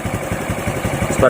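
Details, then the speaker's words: Honda RS 125 FI single-cylinder motorcycle after spark plug cap was cleaned and properly screwed back on: steady even quick idle with no misses or knocks; confirms the cap was the misfire cause. "so wala na Ong murang maubo no Pansinin niyo wala onong mauban so confirm ang daot ba simple lang kayo"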